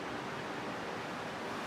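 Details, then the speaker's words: Replica Lamborghini Countach kit car on a 1986 Fiero GT chassis, rewired fans tested after install: two engine fans then two radiator fans start and run with a smooth, steady rush of air, no ticking or rubbing; normal fan operation. "if everything is correct it should fire up the two engine fans then the two radiator fans sound good"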